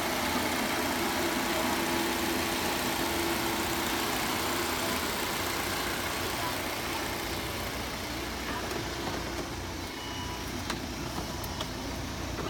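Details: Volvo XC60 T5 2.0L idling after replacing the valve cover with its built-in PCV oil trap that caused a resonant noise and a system-too-lean bank 1 code: quiet, even idle, no ticking or hissing; healthy.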